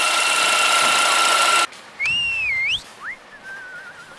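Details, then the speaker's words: BMW F10 528 idling: a steady high whistle caused by strong crankcase vacuum through a failed PCV diaphragm in the valve cover; the valve cover assembly needs replacing. "아 여기가 막이 이렇게 지내려 가지고 어풀 피리를 부는 소리가 나요"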